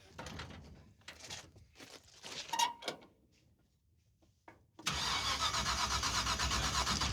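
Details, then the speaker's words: Race car fitted with a borrowed ignition box. Steady quick cranking around four beats per second that never catches; no spark, rotor fine. "turn the addition on on go ahead and crank it it's blinking that's weird dude that's got no spark"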